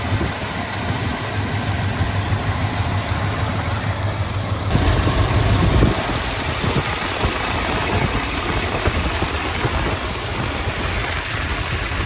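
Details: 1983 Ford F250 460 carbureted V8 restarted after working on a part with stripped screw threads; low, steady idle with an even throb, running again with more still to sort out. It later died and wouldn't restart.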